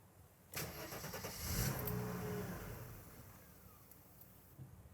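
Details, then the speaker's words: 1991 Mercedes 300TE 24V (S124), first start after swapping in a test EHA (electrohydraulic actuator) valve, air filter off; starter cranks, engine coughs and half-fires about two seconds then dies: hard start, cause suspected, not confirmed. "and that's what I didn't hope would happen let's try once more it started but that wasn't necessarily a very clean start"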